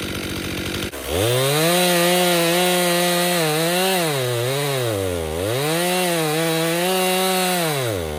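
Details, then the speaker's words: Stihl MS261 M-Tronic chainsaw, hot: high buzzing saw whose pitch sags and recovers slowly on acceleration instead of snapping up; bogging, running lean, carburetor service suspected but not confirmed. "You can hear that bog. It's not a nice fast acceleration. So, it's going lean."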